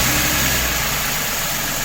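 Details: 2016 Ford F-150 3.5 naturally aspirated (non-EcoBoost) after replacing the ignition coil for a cylinder 3 misfire (P0303): smooth, even idle with a steady hum and no stumble; check-engine light gone, running clean on all cylinders.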